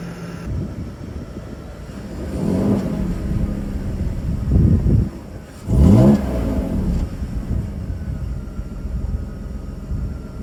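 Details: BMW E39 petrol engine after replacing a header with a clogged catalytic converter whose debris caused a cylinder 5 misfire and lean code: revving up and settling cleanly with smooth rises and falls, no misfire.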